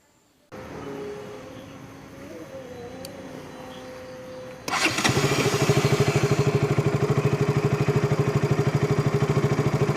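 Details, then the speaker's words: KTM RC 200 before the fix: it cranks and catches, then runs a fast, slightly uneven beat with a tick-tick-tick spark sound. The loose spark plug cap is not seated and is arcing, causing a misfire and stalling at idle and on the clutch. "കാര്യം നമുക്കതിൽ നിന്ന് ഒരു സ്പാർക്ക് അടിക്കുന്ന ഒരു സൗണ്ട് കൂടെ, tick tick tick എന്നൊരു സൗണ്ട് വരുന്നതായിട്ട് ഫീൽ ചെയ്യുന്നുണ്ടായിരുന്നു. ഒരു എവിടെയോ ഒന്ന് പ്രോപ്പറായിട്ട് പോകുന്നില്ല എന്നൊരു തോന്നലുണ്ടായിരുന്നു."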